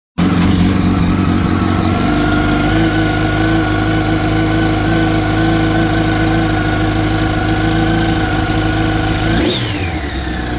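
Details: 2004 Yamaha R1 engine held at steady revs: an uneven mechanical clatter rides over the exhaust, then the revs drop back; the owner asks whether the cam chain tensioner is the cause, unconfirmed.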